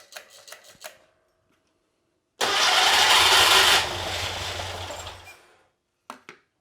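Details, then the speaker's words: Porsche 912 engine stored over a decade, points gapped at 0.016 in, fed from a separate fuel tank with fuel squirted in: harsh cranking briefly catches and flares then dies as idle is turned up; fuel leak noted. "just gonna turn the idle up here just try to get it to go"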